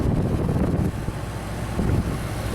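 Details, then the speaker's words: Xplorer RV on a new deep-cycle battery: the roof AC compressor kicks on with the fan at low, giving a steady low drone under a constant air rush. There is no cycling or knocking and the air gets cold, so the AC is operating normally. "the compressor running really good and I feel the air getting cold alright that is great"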